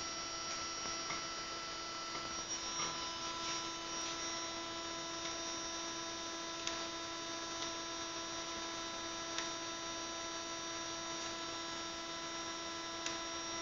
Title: Wii freezing + buzzing sound - Mario Kart Wii online - May 2013